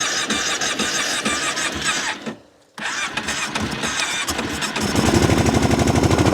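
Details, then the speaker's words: V-twin with a seized choke, started by hand-blocking the carburetor intake: cranking catches after a short pause, then settles into an even, fast-pulsing idle, a runner. "She's a runner."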